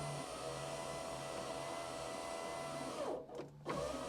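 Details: 1991 Alfa Romeo Spider passenger-side power window after replacing the slow, noisy regulator motor with a new electric motor: steady, smooth hum running evenly and stopping cleanly at end of travel, no grinding or labouring.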